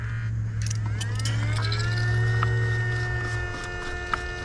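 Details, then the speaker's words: 2008 BMW 535i E60 after upper radiator hose replacement, coolant bleeding procedure with ignition on, heat at 84, fan lowest, throttle held 10–12 s: small electric coolant pump spins up with rising whine, settles to steady even hum; running normally while bleeding, cap going on. "Okay, I hear it bleeding. Okay, I'm gonna put the cap on it while it's bleeding."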